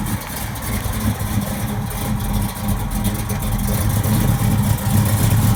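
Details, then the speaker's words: V8 with Carter Competition Series AFB carburetors, driven in that morning, starting and idling: deep lumpy idle swelling under light throttle blips, steady firing with no knocks or ticks; healthy. "I'll start this bad boy up okay I believe it runs I drove it here this morning so there's a good possibility that it's gonna start"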